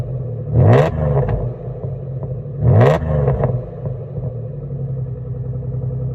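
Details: 2002 Jaguar S-Type petrol engine with turn-down pipes, idling with two quick revs; raspy, puffing exhaust note: exhaust leak.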